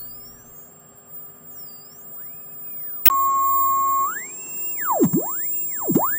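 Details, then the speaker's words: Cheap Amazon switch-mode supply powering a German WW2 tube radio receiver (2 V filament, 90 V anode), 1 microvolt test signal: constant high whistle under sweeping tuning tones; 0.6 V ripple on filament supply, worst on lower bands, removed by 1000 µF capacitor. "I am sending in a signal of 1 microvolt at 50 on the scale as we hear there is a constant high frequency beeping sound there and then there is noise on some frequencies"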